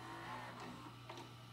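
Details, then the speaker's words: Admiral JSJ-20434 VHS VCR engaging play while playing a tape: quiet whir with soft mechanical clicks over a low hum as the gears turn inside; normal, healthy transport mechanism. "you can hear the gears turning inside they're actually this is a really nice machine"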